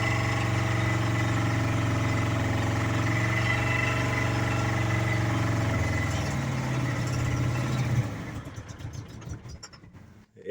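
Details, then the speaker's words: 2010 Chevy Colorado project truck, original engine, held at full throttle with heavy tailpipe smoke: steady low drone, then sags, stumbles and dies within seconds, sounding badly worn; owner suspects worn piston rings; engine stalls. "And it's dead. Let's see if it starts back up. Probably not. I think it's toast."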